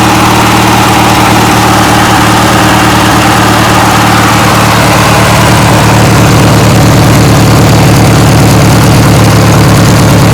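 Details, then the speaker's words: 1980s Sears Craftsman II, Briggs & Stratton 18 hp twin, after carb clean and new starter: deep, even low Harley-like burble about three pulses a second, no misses or knocks; normal idle. "really like this Briggs and Stratton twin as you can hear that thing is it almost like it sounds like a little Harley uh pretty cool man nice and low"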